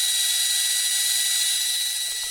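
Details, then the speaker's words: Welling appliance motor on test: thin high-pitched whir with a gritty edge as it spins weakly and winds down; bearing issue, very little torque and low speed compared with other motors. "Okay, crappy Welling motor. 3, 2, 1. Yep, doesn't even want to work. There you go. You can hear the bearing issue."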